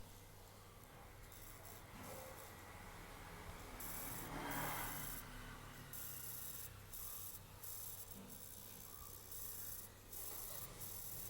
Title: Acer aspire 3 coil whine sound